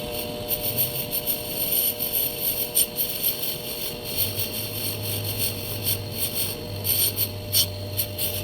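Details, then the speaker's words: Lathe boring the ID of a homemade bench block with a diamond insert: rough rattling hiss over a steady whine that sounds like garbage, yet it leaves a good-looking bore. "Okay. Oh, that's a beautiful boar. Sounded like garbage, but you know what? Looks good."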